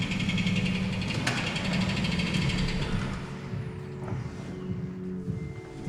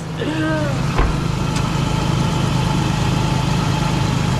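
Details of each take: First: Toyota Tacoma idling with a light, quick clicking about three or four a second from a flexplate cracked in several places, suspected from prior dealership transmission work. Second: Toyota Tacoma idling after a cracked flexplate was replaced: steady, even low idle with no tick or knock; the earlier intermittent ticking noise is gone, engine healthy and quiet.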